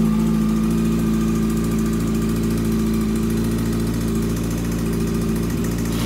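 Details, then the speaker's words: Yamaha R6 project engine at idle after a cam and valve clearance check found the top end okay: steady idle with a light metallic rattle that comes and goes and fades when revved; source unknown, oil pan next. "And it sounds okay right now, but what happens is sometimes it sounds okay, sometimes got that rattly noise."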